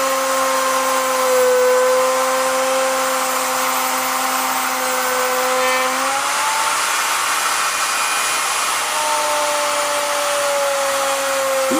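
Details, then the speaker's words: Vevor 5120 plunge router, 15 A, 3.25 hp, 3/4 in straight bit, plunge then straight cut about 3/8 in deep with guide bar: steady high whine dips briefly as the bit bites, recovers without bogging; normal healthy cutting. "Feels smooth, no hiccups at all. Cut through that with no problem, and that's probably 3/8 of an inch deep."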